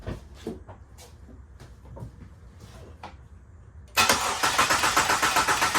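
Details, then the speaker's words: Jeep Liberty back after two years sitting, freshly filled with antifreeze, fans not yet installed: fuel pump relay pulled to crank and build oil pressure. Quiet clicks, then steady starter churn near four beats a second; turns freely, never fires, fuel deliberately cut. "We're gonna fire this thing up, but first we're gonna take the fuel pump relay out, and we're gonna crank it a few times to build the oil pressure."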